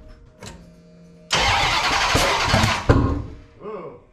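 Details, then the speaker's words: 1989 Dodge Ramcharger 383 on open headers, new CRT Pro Series distributor with changed advance springs; cranking then sharp pop back through carburetor: ignition firing but distributor installed 180 degrees out, timing/firing order off. "sounds like uh the ignition is good but the timing is off or the firing orders off you know it should not backfire to the carburetor"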